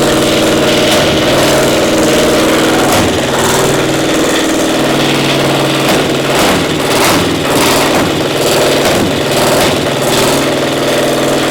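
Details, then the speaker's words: Caterpillar Diesel 70 twin pony motor, round 4 start: lumpy, uneven beat with pulses dropping out irregularly, about ninety a minute; running on one cylinder, other only occasionally catching, spark plug suspected; misfire. "Not sure. Sounds like I might be running on one some of the time."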